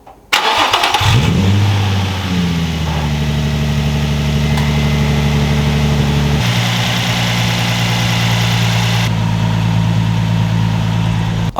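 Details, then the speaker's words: Nissan 350Z VQ engine after oil change to Castrol Edge 5W-40 full synthetic with OE filter, recent thermostat replacement: brief crank, clean catch, steady even idle, slightly quieter, oil pressure up, no leaks, knocks or ticks; normal. "Alright guys, so we started up the car. The motor sounded about the same, maybe a little bit quieter. It's not like my VQ was loud anyway."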